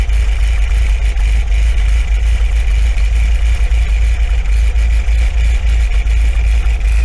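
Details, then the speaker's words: 1980 MGB four-cylinder after a timing and twin-carb tune, air cleaners refitted: a steady deep idle with a slight lope, attributed to the camshaft and typical of these engines. No stumbling or misfire; sounds spot on, though CO reads slightly rich. "you always get that slightly uneven idol in these because of camshaft and stuff like that and just the way they are you know i mean so to be honest with you that sounds spot on to me"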